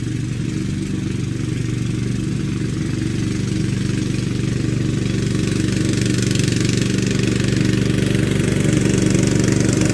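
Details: Free Craftsman LT2000 lawn tractor twin engine, revived after sitting unused since about 2013–2014, started after deck refit with new belt: smooth, regular beat at steady idle, no misfires or knocks, slowly settling; normal running.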